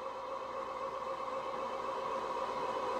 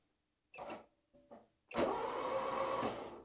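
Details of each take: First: 4WD Citroën BX barn find, first cranking after sitting, oil squirted into cylinders, dash gauges unreliable: even cranking at about four beats a second, pitch firming and tone changing as oil pressure arrives; red oil light goes out; normal. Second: Barn-find 4WD Citroen BX, first crank, no ECU connected, oiled cylinders: short hesitant bursts then steady sluggish starter whirr; slow cranking, owner suspects bad battery terminal connections.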